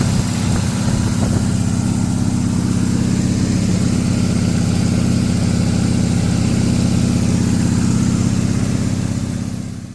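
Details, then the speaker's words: Rebuilt Corvette engine just after its first start, fluid seeping from the bolt holes or under the carburetor: low, throbbing idle with a slightly uneven lope, struggling at low idle; rough idle from ignition timing slightly off. "We got this car running and it sounds great. You heard it at the low idle when it was struggling a little bit."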